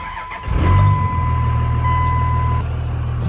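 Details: 2001 Dodge Ram 3500 dually 4x4 with 5.9 Cummins diesel, six-speed manual, 77k miles: the starter catches within half a second and the engine settles quickly into a steady, even low idle, a healthy start.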